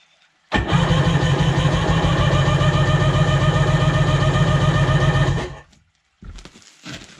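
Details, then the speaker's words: Sea-Doo HX jet ski with shaved head, compression tester fitted: sluggish cranking around 220 turns a minute for five seconds; owner suspects low battery or higher compression; reads 120 psi, up from 100. "didn't seem like it turned over that well maybe my battery's pretty low maybe the compression made it tougher but you can hear it turning over pretty slowly"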